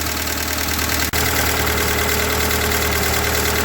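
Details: Ford 2N tractor engine idling, belt off and generator removed so water pump not turning, about to be put in gear with clutch let up; even, steady idle with regular low beat, no knocks or misses, healthy.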